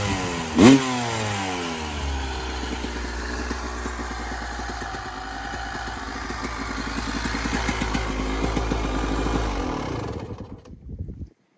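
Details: 1996 Yamaha YZ250 two-stroke after carb tune-up, cold day (about 13 degrees), carb back at factory stock settings: crisp ringing blips rising and falling cleanly, then steady idle before shutdown; normal healthy running.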